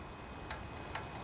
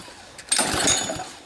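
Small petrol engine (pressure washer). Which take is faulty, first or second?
first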